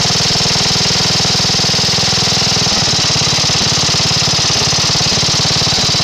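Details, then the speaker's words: Briggs and Stratton 12hp flathead vertical-shaft single-cylinder engine on a tractor, right after carburetor main mixture and idle adjustment: crisp, even firing with no stumbles or hunting; revs up nicely, idles nicely, sounds good at higher rpm, now tuned. "you can see it revs up nice it idles nice it's uh sounds good at the higher RPMs and it should be tuned and ready to go"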